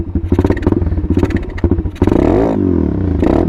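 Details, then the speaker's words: Apollo 125 RFZ Chinese 125cc dirt bike, cold engine on a cold morning, half choke: an uneven, pulsing idle, then a sluggish, wavering climb when the throttle opens. Laggy hesitation while still warming up. "so what I mean by laggy is see how it kind of it see it kind of when you give it gas it kind of momomo that's because it's a still warming up and"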